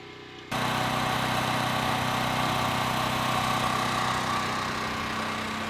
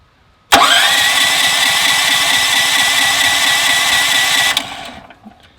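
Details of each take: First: Westinghouse WH7000EC generator converted to natural gas (US Carburetion type C kit), heard from indoors at the transfer switch while it runs outside: steady, even drone with constant buzz, no misses or surges; running normally. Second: Westinghouse WH7000EC 7000 W gasoline generator converted to natural gas with a US Carburetion type C kit: electric starter whirs about four seconds without firing because the regulator wasn't primed and no gas was in the system; priming lets it start.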